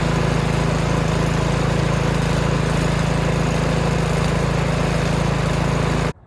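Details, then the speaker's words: Toro Snowmaster 724 two-stage gas snow blower, newly assembled, pull-started after priming the carburetor 3–4 times: small single-cylinder engine runs at a steady, even putter with no misses until shut off; normal idle. "so I just started it with the pull start, so now I'll show you how the electric start works."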